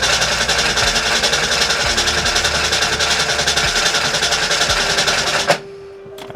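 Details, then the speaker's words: 1989 Ford Mustang GT after sitting over 10 years, fuel flowing through rail and return; fast even starter cranking about three and a half turns a second, never catches: crank no start. "it doesn't look like I'm gonna get one. Alrighty, now we gotta figure out why it's not starting."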